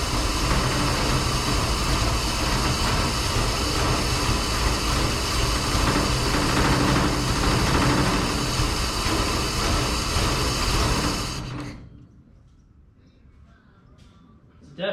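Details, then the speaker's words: 1953 Plymouth Cranbrook first start after 25+ years: rough uneven idle with irregular misfiring stumbles, then cuts out; carburetor leaking fuel, broken plug wires and old plugs suspected as misfire cause; run without coolant. "misfiring but it did fire up yeah I can see it leaking out the carburetor right here so luckily I got a gasket set for that so I can fix that and maybe these broken plug wires and these old plugs have something to do with the misfire"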